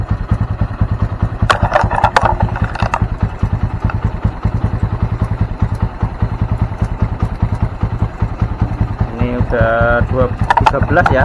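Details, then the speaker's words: Honda Mega Pro (KEH) single-cylinder after breakdown with charging fault, full-wave stator checked: steady even idle thump; charging now reads 13 V at idle, which it didn't reach before; engine still cold, running fine. "ya, stasioner aja udah 13, tadi kan nggak naik ya sebelumnya."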